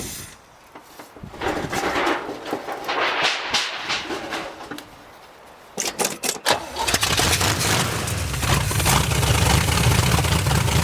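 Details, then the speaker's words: 1973 GMC square body truck with a small-block Chevy V8, said to be a 350, parked since 2001: a few dry cranks and stumbles, then it catches and settles into a steady, even idle with good oil pressure; sounds healthy. "listen to that baby Bur [Music] sounds pretty healthy"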